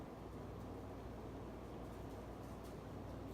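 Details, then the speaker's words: Casablanca Four Seasons 48" K55 ceiling fan, possibly 1981, Slumber Quiet control on high (full speed): steady low rush of air and soft even hum, no knocking or scraping; normal, powerful running. "All right, let's crank it all the way up to high. This is full speed."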